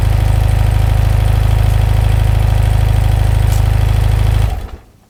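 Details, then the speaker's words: 1983 BMW R100RS flat-twin, converted to RT after full rebuild with crank out: even steady low thump at idle with no knocks or ticks, then shut off; normal clean idle. "Well, we'll do an engine start here so you can hear it running."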